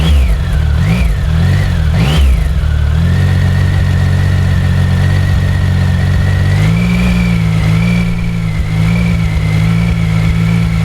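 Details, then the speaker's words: Triumph Speed Triple 1050 S on stock factory silencers, before SP Engineering exhaust fitting: fires cleanly, a few sharp revs, then a steady, even idle with a smooth drone; normal revving. "I'm going to be firing this up in a moment so you can hear what the stock exhaust sound like, and then I'm going to be testing this with the baffle in and with the baffle out."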